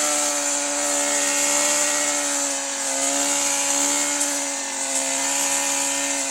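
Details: New Stihl FS 120 two-stroke brush cutter that stopped starting after break-in, running on a replacement scooter spark plug after the original plug proved faulty: steady high buzzing drone at even pitch, no misses or surging; running cleanly.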